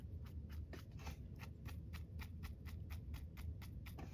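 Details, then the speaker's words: Shimano Sienna 4000R spinning reel, front pinion bearing oiled on its unsealed side three or four times and worked in: faint, rapid dry ticking as the handle turns; the pinion bearing is still noisy, with no replacement available. "which we've done three or four times that I've worked it in and the bearing is still a little bit on the noisy side and I don't know if you can hear it or not"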